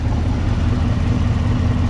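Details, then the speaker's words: 2018 Camaro ZL1, supercharged LT4 V8, long-tube headers after fixing gasket exhaust leak that ticked: deep smooth idle, light clicking is injectors, different from previous ticking; no puffing from headers, engine healthy. "but you do hear a little clicking that's the injector's working uh the clicking that I had before was completely different"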